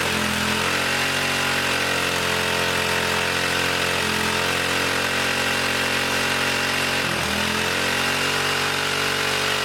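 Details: 1959 military single-cylinder engine fed from fuel line in a gas can, carburetor high-speed circuit sprayed out and slightly flooded: screams at steady, far-too-high speed without settling, as the governor runs wild.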